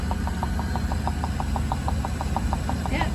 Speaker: eight or nine is good for getting the air bubbles out. You can hear the tapping of the air bubbles passing through the hose.